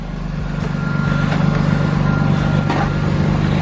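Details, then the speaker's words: Mazda after flux-core MIG welding of the exhaust gasket leak, first start and a couple of revs; steady low rumble swelling evenly, no ticking or puffing, sounding far better than before, exhaust sealed. "wow that sounds that sounds way better than it did before eh Wow you actually did a good job us"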